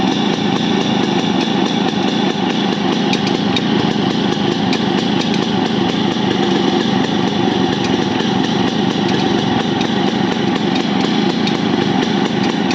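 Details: Yamaha RX100 two-stroke under restoration: fast, even idle with a light rattling tick riding over it; unknown abnormal engine noise, source not identified.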